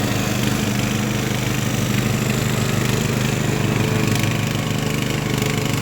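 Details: Craftsman LT1000 riding mower after Briggs & Stratton engine swap, warmed up, test mowing tall grass with unsharpened used blades: steady, even single-cylinder drone holding speed, no surging or knocking; pulling healthily.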